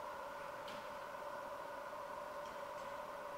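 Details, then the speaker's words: Microphone held close to the bumper: faint, steady mid-pitched buzz with no dropouts (some sensors click instead); parking sensor operating normally. "and sometimes you can hear a clicking noise although this time it's more like a sort of sounds more like a buzzing noise some sensors you can hear them clicking"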